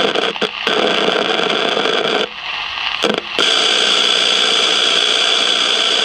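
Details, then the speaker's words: 1956 CBS 5-tube AM clock radio, not tuning stations, heard through signal tracer: harsh hissing, crackling static that drops out briefly then returns loud; silver mica disease in the IF transformers. "jeez this so horrifically bad that uh damn so I'm saying when it gets the when the noise gets so bad it just feeds back through the whole thing"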